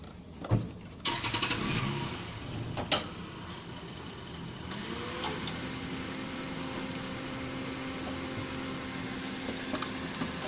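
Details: 2015 Toyota Corolla with codes P0351, P0353, P0354 (ignition coil primary/secondary circuits): short cranking clatter, then engine catches and settles into a steady, even idle with no stumble or miss.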